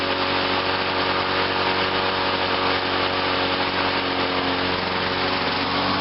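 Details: 1986 Lawnboy 8461 Commercial mower, started on choke: high buzzy note holds steady without stumbling or surging; normal running.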